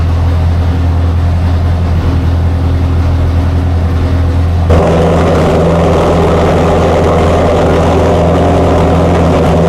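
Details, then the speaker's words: Chrysler 440 Six Pack with new metering plates on the outboard carbs: lumpy, loping fast idle, running rich. A water-bottle check on the pipes finds four cylinders dead, two per side; carb cause not yet confirmed. "Nick uses a water bottle to check that the engine is firing on all eight cylinders he finds two cold pipes on the passenger side and two more on the drivers four cylinders are not working"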